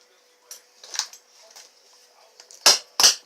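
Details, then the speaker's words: Yeti XL RC car, pinion motor gear and spur gear mesh being set after rear differential and transmission bearing service: three light clicks as the gear rocks, slight play, correct mesh. "See, I got some rock. You can hear it. Okay, and that's what you want."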